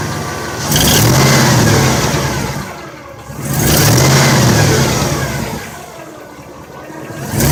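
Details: 2002 Chevrolet 8.1 engine: three quick throttle blips about three seconds apart with a loose rattle riding over the rising revs; cause not identified.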